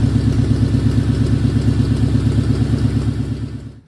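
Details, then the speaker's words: 1940 Ford's first start since November, just after a new gas tank went in; fuel pump heard slowing, a little choke given. It starts instantly and settles into a low, even, healthy idle with steady firing pulses and no knocks or misses: normal idle. "let give her a little choke this started instantly and purred like a kitten that's what I've always loved about this car it's like it just wants to run"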